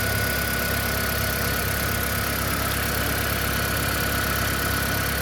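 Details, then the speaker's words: 2013 Toyota Prius hybrid with a customer complaint of knocking/misfire at start-up and a suspected head gasket leak, which borescope checks did not confirm. Steady, even idle with a soft low hum and no knocking or tapping; running smooth, not rough. "it's not running rough or anything the only thing I haven't done is put my scope on it I don't don't really feel the need to pull the scope out it's running smooth no issues other than than that"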